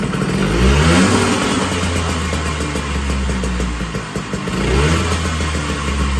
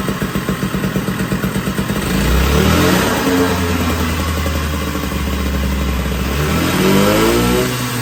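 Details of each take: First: 1980 Puch Murray moped with Tomos A35 top end, Mikuni VM18 carb, custom Estoril pipe and timing set near 17 degrees, first start: small two-stroke buzzes to life, revs rising and falling unsettled; idle not yet dialed in. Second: 1980 Puch Murray moped with a Tomos A35 top end, Mikuni VM18 carb and custom Estoril pipe, on its first start at -7 °C with the engine super cold: pops and blips unevenly, hangs on revs and wanders down; runs but untuned, needs jetting.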